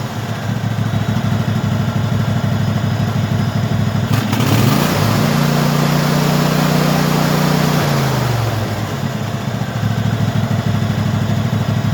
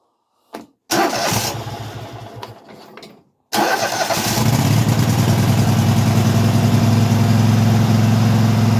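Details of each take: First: Craftsman hydrostatic tractor V-twin, which had refused to run, now running after the carburetor was cleaned and its bottom fuel solenoid replaced; a steady putter rising in pitch, then dropping back to idle: normal running. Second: Craftsman hydro mower with V-twin, which ran only on spray until debris was cleaned from the carburetor: fires, runs two seconds and dies, then catches on the second try into a steady even idle; still hard to start.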